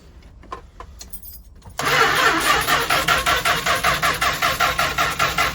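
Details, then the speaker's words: 1977 Winnebago Chieftain with 440 Mopar, abandoned 20 years with bad fuel, starting spray used; starter cranks steadily about 2.5 turns a second, engine not seized but never fires. No spark suspected. "she's breaking loose y yeah I don't think you got any spark okay it sound like it's going faster for a second get there so I was hopeful but uh yeah don't think we have a spark"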